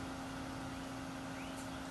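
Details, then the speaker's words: Electric 58 PSI fuel-injection pump for a 1976 Corvette RestoMod, bench-powered from a separate battery, running a while: faint steady low hum, no surging or whine, quiet likely because submerged in gasoline; normal operation. "so the pump's been running for a while it is pretty quiet now"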